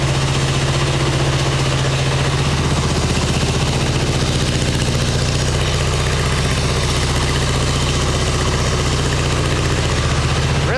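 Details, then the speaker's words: 1989 Harley Ultra Classic Tour Glide Evo V-twin, butterfly carb, warming up: a steady, loping, even idle on choke. The owner thinks the idle just needs turning up, but whether it runs without choke is still unproven. "I think that idle just needs to be turned up. I think it's running on choke without running on choke."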